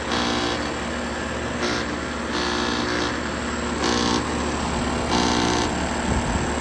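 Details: Air conditioner compressor running with power on: constant loud hum with harsh hissing surges every 1.5 s and slight rattle; bad electrical board or compressor starting too early without delayed start suspected; cause unconfirmed.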